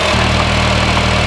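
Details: 2010 Honda Fit after alternator replacement: steady, even idle with a smooth low hum, no knocks, squeals or misses; alternator charging about 14.8 V; running normally.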